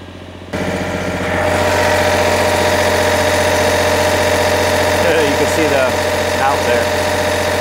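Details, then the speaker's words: MEP 1040 surplus military diesel generator, bought as parts unit reported dead, now carrying heater load: starts and settles into steady diesel beat, governor keeps up, puffing a little smoke, likely first time under load in a while; healthy. "it just loaded up and it kept right up with it so it's doing exactly what it needs to do this is a great sign puffing a little bit of smoke but that's to be expected"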